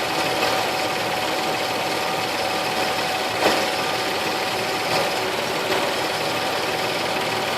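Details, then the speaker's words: 2004 Nissan Frontier V6 running, heard through a metal tool held on top of a spark plug wire: even, steady hum with no skips; this cylinder sounds normal, though another one sounded slightly missy and needs a spark plug. "I put it against my ear flap that sounds normal that sounds better but still slightly Missy so it needs a spark plug there"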